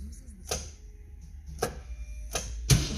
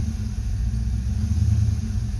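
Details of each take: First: 1990 Ford Mustang GT 5.0 V8 after MSD coil upgrade: after a few starter clicks it cranks and catches into a low, lumpy idle with an uneven beat, still missing; plugs pulled showed one wet plug. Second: 1990 Ford Mustang GT 5.0 V8 with an oil-fouled plug found on cylinder one: deep, even idle rumble with no skips, the misfire gone and running smoothly.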